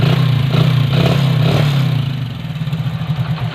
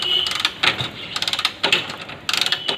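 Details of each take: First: Hero Splendor after simple fix for kick slipping: engine catches and revs, then settles into a fairly even idle thump with no slipping clatter; healthy running. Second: Hero Splendor, key on, kick attempts: rapid ratcheting clicks in bursts, engine not starting as the kick lever keeps slipping; owner says check a simple fix before replacing clutch plates.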